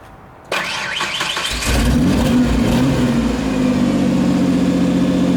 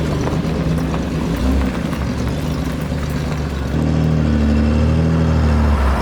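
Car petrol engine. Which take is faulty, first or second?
second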